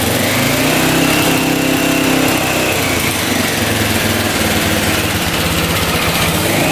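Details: 1985 Honda XL600R single, sat a couple years, oil put down the cylinder, started on choke: runs rough and uneven, revving up and down before idling, smoking; weak, consistent with low compression.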